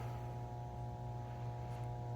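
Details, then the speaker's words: Clearstream septic aerator air pump after replacement of the pump and air pipe; a steady, even low hum with a faint constant tone and no rattle, and the alarm is off, so it is pumping air normally. "hear the air pump going the alarm's off so it is pumping air and that's it we're all set on this"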